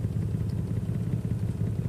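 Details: Toyota Tacoma shaking at idle with no misfire found: low, lumpy idle with uneven pulsing beats and no sharp dropouts; scanner points to a catalytic converter issue, cause unconfirmed.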